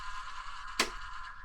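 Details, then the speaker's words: Model railway point thrown via DCC controller: one solid clunk over a steady electrical hum; the point throws heavily because ballast glue makes it stick. "Did you hear that reassuring clunk then? That's because I glued. I ballasted the point, didn't I? And of course we all know when we ballast things just flaming stick to each other."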